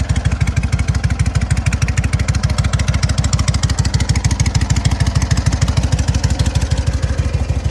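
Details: SOKÓŁ 1000 motorcycle after full rebuild, first start, briefly warmed; deep even thumping about ten beats a second, no misses, knocks or rattles; runs healthy and steady.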